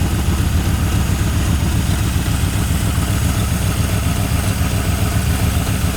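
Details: 1981 Ford Mustang 5.0 V8, revived after sitting, with truck mufflers and no radiator fan fitted yet: deep, steady, even idle burble with no misses, knocks or ticks. A smooth, healthy idle.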